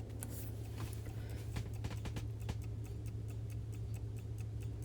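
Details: Vintage Coca-Cola electric rewind clock, reassembled after its failed rewind motor was replaced: light, even ticking a little over two per second over a low steady hum, running normally while waiting for the next automatic rewind.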